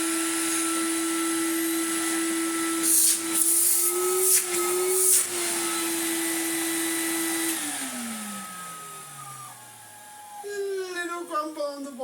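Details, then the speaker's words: Numatic BX.BX 190 commercial vacuum after refurbishment, original motor left untouched, only dust wiped off: steady, even high motor whine with no rattle or scraping, then smooth spin-down; motor healthy. "so when i plug it in and turning on it will basically sound exactly the same as it did before"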